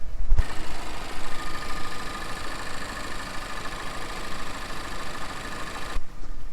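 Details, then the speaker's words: 2013 Chevrolet Malibu 2.5L, 120k miles, idling after replacing both VVT cam solenoids for code P0010: smooth steady low rumble, no ticking, misfire or surging; check engine lights out. Normal idle after repair. "Now start it up and check it for leaks. Notice that my check engine lights, both the little tire with the exclamation point symbol and the engine symbol, are out."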